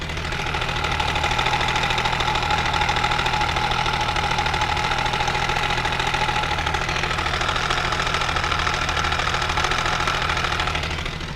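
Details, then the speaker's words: Benelli 899 TNT idling, mic near the engine: fast metallic rattle and rough uneven running from a stretched timing chain, tensioner at its maximum; plugs, coils, injectors and sensors checked fine. "Ce bruit vient de la chaîne de distribution et bien sûr le moteur est éteint de temps donc quand vous avez ce problème vous pouvez l'identifier,"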